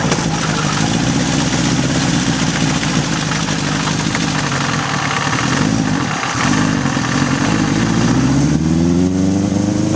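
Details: 1981 Honda CB750 K1 four on test ride, partly on choke: hesitates and stumbles as revs climb, bogging under throttle; owner suspects vacuum leaks and carbs out of sync.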